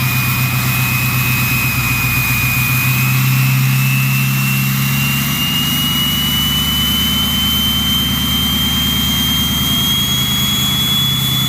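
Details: Ford 6.0 Powerstroke diesel with a new stage 1.5 63.5 mm 10-blade turbo replacing stock: a clear high whistle climbs steadily as revs build over a deep rumble. A healthy larger turbo spooling normally.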